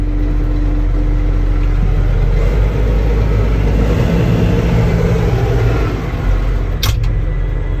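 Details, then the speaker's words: John Deere tractor with 6,700 hours, old but feels tight: catches quickly into a low, even diesel thrum with no misses or knocks; normal diesel start and idle. "Well, it looks like we got power. Oh yeah, good old John Deere starts right up."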